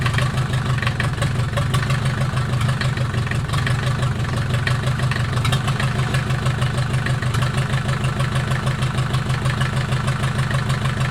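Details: Mercedes 240D OM616 diesel, reassembled after sitting about a year and a half, 124k miles, restarted after cold start with glow plugs: steady even clatter with low rumble, no knocks or misses, slight smoke from old fuel; normal diesel idle.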